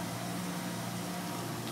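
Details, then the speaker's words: Maple evaporator blower box of half-inch Baltic birch, 1/2 hp motor on a 7 3/4 in high-pressure blower plus a 200 CFM squirrel-cage blower; smooth, steady low hum and even airy rush, not too loud to run indoors; normal blower running. "you can hear it's not actually not too loud it's uh no reason to run this thing outside"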